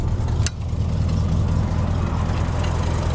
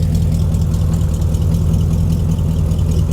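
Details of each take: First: 1992 Ford Ranger with a 5.0L 302 V8, 94,000 miles: a deep, lumpy idle with a faint, uneven puffing tick on the rumble; there are leaking exhaust headers, "a header leak or two or eight". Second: 1992 Ford Ranger with a 5.0L 302 V8, heard at the rear where the exhaust dumps right by the axle: a deep, even, lumpy burble at a steady idle with no knocks or misses; it runs and sounds good.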